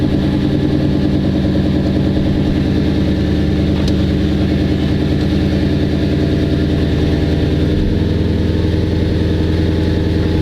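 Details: Lexus IS F idling just after a Braille lightweight AGM racing battery was installed. A steady, even idle with a smooth low throb and no knocks or misses. The engine runs normally.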